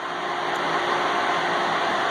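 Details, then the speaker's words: Pool pump, noticed during a salt system service call: loud, constant roar with a steady hum underneath instead of its usual quiet hum, as if pulling harder than it should; straining, water flow problem. "pump was struggling making a loud noise that bluntly doesn't make usually there's a hum but this one that sounds like it's having a problem moving water like it's pulling harder than it should to try to do its job"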